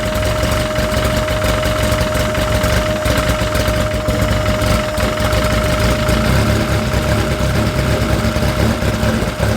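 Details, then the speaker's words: Freshly installed engine with Rotella T4 oil, heat-cycling to bleed air from coolant at about 110 degrees: steady, even idle with smooth low rumble and faint constant tone, no knocks or misses; healthy. "so this is one we'll do it two more times to make sure we got all the air out but it sounds great it sounds helping"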